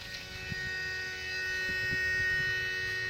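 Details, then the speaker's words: BMW 335i: steady electric buzz with a thin high whine at one pitch, heard randomly at key-on, after start-up and sometimes with the car off; cause unknown, seems to come from one spot. "whenever i give power to my car it makes this noise and it does it randomly sometimes without being any power"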